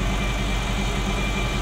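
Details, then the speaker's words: Ferrari Mondial V8 idling after the NGK plugs were cleaned and refitted: uneven, lumpy idle with a coarse, unsteady beat. Bank B (cylinders 5-8, nearest the firewall) is misfiring. Timing is out; owner suspects a sensor. "So it's that bank that's misfiring. Yeah, it's that bank."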